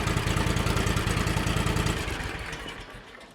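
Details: John Deere X300 series lawn tractor twin after crank-no-start diagnosis, spark confirmed on both cylinders, no choke: even chugging idle about 200 beats a minute, steady and regular; normal idle.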